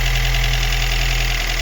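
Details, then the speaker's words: Daewoo Lanos 1.5 petrol engine at first start after head gasket replacement and throttle body cleaning: steady, even low idle hum with no misfire. "працює не троїть все чудово"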